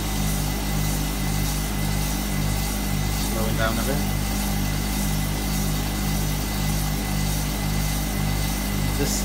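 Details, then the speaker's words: Hotpoint Supermatic De Luxe 9414 twin tub spin drum on its final spin, new belt fitted so it is much faster and smoother: smooth steady hum at even pitch, no knocking or scraping; normal spin. "fortunately it's so much faster now I put the new belt on it"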